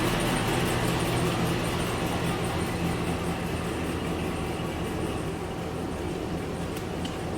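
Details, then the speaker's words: 284K-mile Chevrolet Silverado V8 just fitted with a Chopacabra cam, new valve springs and oil pump, coolant not yet bled: deep uneven lope at idle with steady choppy pulse, no knocks or rattles; normal cammed idle. "case you were wondering what a cammed Silverado stock cammed Silverado sounds like. Dude, she's dialed."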